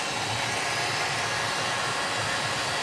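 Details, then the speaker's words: 1934 Bell & Howell Filmo Model 57 projector running in forward with the film drive gears not engaged properly: a steady, hissy whir from the motor and fan with no clean mechanical rhythm. Misengaged gears like this can burn up the film. "what happened here was I didn't have that in the gears right and that's why you got to make sure that the gears are right"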